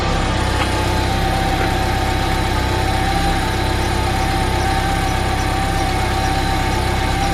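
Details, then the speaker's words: Honda K20 engine-swapped car, newly wired ECU, at idle, fuel low: smooth, quiet, even idle with a steady low hum and no knocks or misses; engine healthy. "all right let's see how quiet this thing is oh so quiet dude so quiet"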